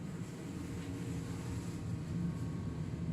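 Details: Swegon Casa W80 heat-recovery ventilation unit: steady low droning hum from the fan motor, caused by sticky dirt caked on the impeller blades.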